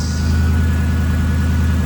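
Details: First start of a freshly swapped V8 in a project car, a deep even rumble at steady idle with no misses, ticks or knocks; the engine sounds healthy.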